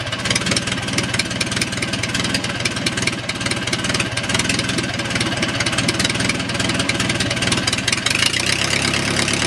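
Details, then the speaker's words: O-84 (4A084) generator engine converted to fuel injection, warm, on a test dolly: smooth, even run-up from idle to what is likely full throttle with no misses or knocks; engine runs extremely well. "that's a normal load our being and I guess that was full throttle you can see the engine runs extremely well"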